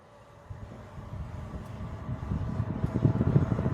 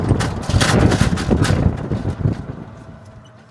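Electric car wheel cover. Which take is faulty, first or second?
second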